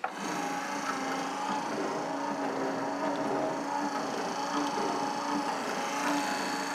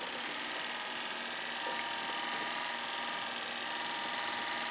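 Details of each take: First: Refurbished wiper motor and wheel boxes installed, with a 1-inch grommet in place of an oversized seal. Busy mechanical whirring and light clatter run steadily throughout; the wiper drive works but is noticeably noisy. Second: Refurbished classic-car windshield wiper motor bench-tested on a power supply at only 2 amps. Even, high-pitched electric whir at constant speed with no grinding or clicking; the motor spins freely and runs normally.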